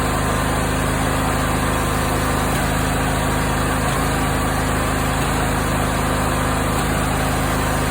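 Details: Briggs & Stratton 20 HP V-twin at steady idle: dull pop from the exhaust, not the intake, about every second; fixed by adjusting valve lash, so exhaust popping came from incorrect valve clearance.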